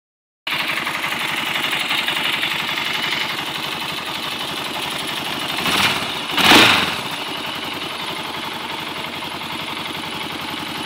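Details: Honda 400EX single-cylinder ATV idling with a busy rattly clatter, blipped twice in quick pairs; owner unsure of the strange engine noise.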